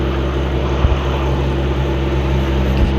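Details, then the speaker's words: Nissan RB25DET Neo after replacing squeaky stock alternator with LS1 alternator via CWC kit: smooth deep steady idle, no belt squeal or chirp, no wobble; accessory drive sounds healthy. "Well, we don't have any squeaking. Looks like the belt is there. Not seeing any wobbling. There's no squeaks going on. Pretty much exactly what I wanted."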